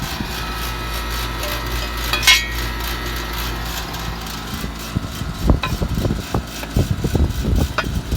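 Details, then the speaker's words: 2002 Payne HVAC outdoor condenser unit, barely cooling: a steady low hum with a thin whine, then irregular knocks and rattles creeping in. It has always sounded rough, even when working fine; it is old and tired. "I'm gonna start it up and watch your hearing out some people say it sounds rough it's always sounded this way as long as we've been here even when it's been working fine so that's just tired"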